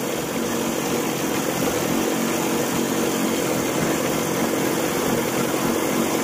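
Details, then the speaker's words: Evinrude 40 HP outboard after weeks of work, test start out of the water: idle timing near 4 degrees, in gear just under 1000 rpm, hums with a slight rise and fall of about 50 rpm; uneven running from a misadjusted carburetor float. "so we're just shy of a thousand rpm right now and you can see it fluctuating a little bit I mean 50 rpm looks like just a little are fuzzy"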